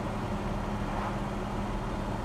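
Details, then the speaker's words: 1966 Chevrolet Chevelle SS with 396 V8 cruising at road speed: steady low even engine hum with a faint constant tone, no drone, rattles or clunks; smooth transmission and quiet rear end, sounds healthy. "When you want to get on it, you can hear that 396, but if you're just cruising down the road, no drone in here, it sounds really, really nice."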